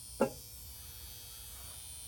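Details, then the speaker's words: Truck with drained battery after sitting overnight, alarm apparently honking until the battery died; two brief feeble horn buzzes about two seconds apart with near silence between as it tries to honk; weak horn from dead battery. "That's it trying to honk the horn."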